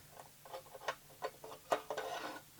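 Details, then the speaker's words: Leap LER-121A UV EPROM eraser, mechanical dial timer just turned: quiet, fairly even light ticks about three per second with faint handling noise; timer running down normally. "It's ticking away because I've turned the dial. So that's a mechanical dial, and it looks like we've got just a little inverter circuit inside there, and a micro switch,"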